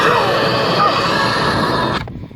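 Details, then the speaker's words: Samsung UN55D6000 TV with bad sound from dented speaker cones, now with replacement speaker: program sound full and clean, no buzz, rattle or distortion. Normal speaker sound. "so that's the the sound what it should be this is a replacement speaker"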